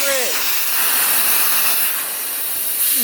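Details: 1988 Ford Ranger off-road on a forest trail: steady high-pitched hiss of air rushing out without letup after a stick impaled the tire; punctured tire going flat.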